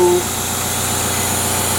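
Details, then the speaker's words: EF sedan after an MPFI swap with a new idle air control valve fitted: steady fast idle with a constant airy hiss. Owner suspects a vacuum leak and hears the PCV valve; possibly an OBD0 idle control valve won't run on an OBD2 ECU. "I think there's a vacuum leak somewhere I hear that PCV valve"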